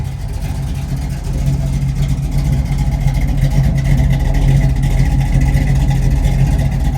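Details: Chevrolet Monte Carlo SS V8 on a chilly morning, exhaust steam: deep even rumble with steady low beat, no knocks or misses; healthy normal idle.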